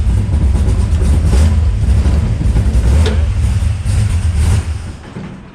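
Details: Henry J Gasser being sorted for wiring issues and running on, fired up with the fuel pump switched on: a deep, steady low rumble with a few throttle blips, running evenly without stumbling. Normal running.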